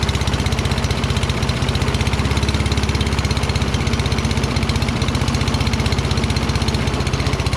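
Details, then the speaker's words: Toro Recycler mower, Kohler XT675, after cleaning debris from the carburetor bowl and pilot jet: slow, slightly uneven single-cylinder thump, hard to start. Owner suspects the throttle setting and a faulty primer circuit; idle speed is low. "well at least it started rpm seemed very low i think i have to screw with throttle and it looks like the primer is not really working right it takes a bit to get it started and these things should start easily"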